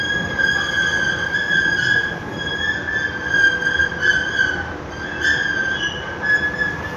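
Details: Escalator at the Fatih Bridge metro entrance running with a loud, steady high squeal that wavers and swells over the running rumble; a noisy, squeaking escalator.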